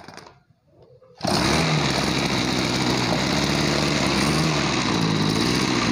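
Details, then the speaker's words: Small two-stroke crop sprayer engine that lacked power and bogged on throttle, after carburetor cleaning: starts and runs at a steady buzz with a slightly heavy, uneven burble; mixture too rich, screw being turned back. "Hai ini terlalu boros kita kembalikan hutan belakang"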